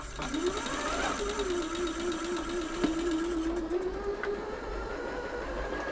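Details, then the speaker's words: Janome Atelier 6 sewing machine in service, before WD40 lube: light, uneven ticking about twice a second over the motor hum, after a faint grinding was noticed. Owner suspects the hook; source unconfirmed. "seems to the noise goes away when it's tick back feeling it's the hook"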